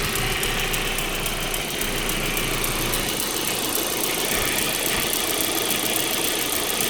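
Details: 1.8T engine at idle: fast light ticking over a steady idle, keeping pace with engine speed; top-end tick, source not yet identified.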